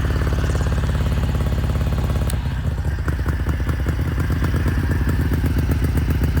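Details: Ducati bevel Darmah V-twin, dead cold with a fresh tank, lumps unevenly at fast idle then drops and stays ragged; idle settles near 1500 then 1200–1300 rpm, and revs hang after the throttle closes. Carb sync suspected. Hanging idle after throttle close.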